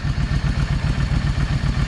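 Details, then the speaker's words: Yamaha 650 V Star after carburetor cleaning, fuel stabilizer added: even V-twin idle, steady thumping around eight beats a second, no skips, both cylinders firing, building heat; normal idle. "But yeah, the old 650. She's back running"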